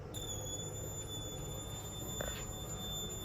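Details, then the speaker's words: Toilet squeals when the kitchen faucet is turned on, a steady high-pitched squeal over a low water rush; the tank fill valve is shot; lifting it stops the squeal. "show you what it is he's in the kitchen turning the kitchen faucet on and that's causing the toilet to squeal and here's what it is since the valve the valve is shot"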